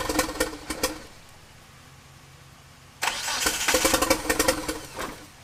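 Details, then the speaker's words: 1997 Eclipse GSX crank-no-start with 2G swap wiring, 95-96 cam sensor and 95 ECU: two spells of steady starter churning separated by a pause, never catching; owner suspects timing or the cam angle sensor, cause unconfirmed. "all right so clearly something's wrong still"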